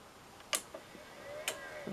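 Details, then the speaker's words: Pioneer A-P510 amplifier that would not switch on: sharp relay click, brief fan whir, another click and it shuts straight off, display flashes H then goodbye and dashes; protection shutdown. "so if you see that the letter H flashed up and then he says goodbye and now there's some dashes let's just try it again"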